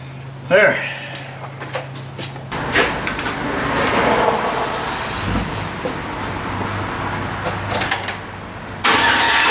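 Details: 2006 Chevy Silverado 1500 after no-crank fault, with new battery fitted and the failed starter dealt with: brief cranking, then the engine catches and settles into a steady idle; normal crank and start.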